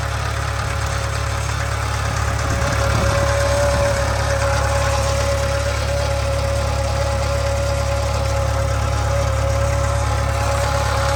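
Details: 2013 Subaru 2.0 Boxer idling: steady low hum with a fairly regular light knock about three per second over the engine note; engine knock and hum.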